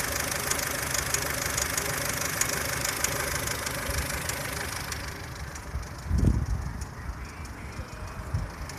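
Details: 2003 Ford Fusion (UK) 1.4 petrol Zetec SE on 5W-30 oil: light fast ticking from the belt end over a quiet idle, fading after a few seconds; auxiliary drive belts and water pump ruled out, source unknown.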